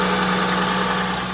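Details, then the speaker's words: 2002 Acura MDX, first start after a new flex pipe and catalytic converter: steady, even idle with a smooth exhaust note and no puffing or ticking. Oil residue is burning off; no exhaust leaks. "flex pipe good things are burning up because of the oil I don't feel any leaks no leaks no leaks awesome all set"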